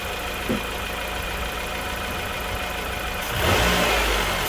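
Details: 2004 Nissan Pulsar N16 QG18DE, 120,000 km, after head gasket replacement (old gasket burnt between cylinders 1 and 2, causing rough idle and misfire): even, steady running that picks up smoothly when revved, no misfire or stumble; normal revving.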